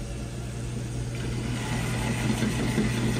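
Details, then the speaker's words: Radiant heating circulator pump restarted after power cycle: steady low hum with rough grinding buzz underneath; this circulator is failing and must be replaced. "you hear that that's not a good sound this circulator has got to go this circulator however is making that noise it's just this one right [Music] here"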